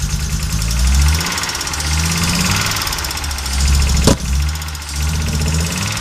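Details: Audi Coupe after swapping NG engine for AAR engine, hard starting, stalls when driving; idle dips and stumbles with irregular low thumps and uneven beat, strange engine noises; misfire at idle, cause unknown.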